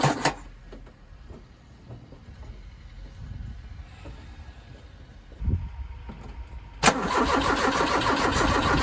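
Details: Ford Capri 2.0 after inlet manifold work, multimeter on the coil while cranking: starter turns engine steadily about three turns a second, never fires; crank no start.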